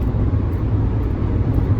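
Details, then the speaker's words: Honda Element, 140,000 miles, at 70 mph after a replacement catalytic converter and new Denso O2 sensor were installed following theft; low, smooth, even rumble with no rasp or drone, healthy exhaust. "70 miles an hour before and after this is our new catalytic converter installed"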